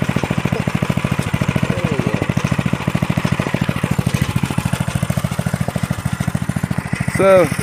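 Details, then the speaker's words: Restored 1983 Stinger go-kart, 206 cc 5 hp single-cylinder engine, freshly cleaned tank and fuelled, fast steady thumping with a short throttle rise to check the clutch engages; runs clean, normal running. "what I just did was uh gave it some throttle to check uh the clutch on it to make sure the clutch was engaging and working"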